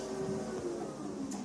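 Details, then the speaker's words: NordicTrack T Series 5 treadmill, newly assembled, running at 3 mph: smooth, even hum with a steady mid-pitched drone and light belt whir, no knocks or scraping. Normal running noise. "I moved it to 3. This is 3 miles per hour. And this is the noise you can hear when it's going at 3 miles per hour."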